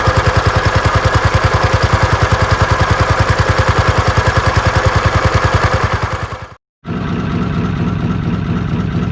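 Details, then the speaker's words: Old inboard petrol motor in trailer sailboat Moonlight, ticking over quietly at idle: steady, even slow putter with no clatter or ticking; normal healthy idle. "this next section is for old farts who relish just to watch engines ticking over quietly and can do that for hours on end"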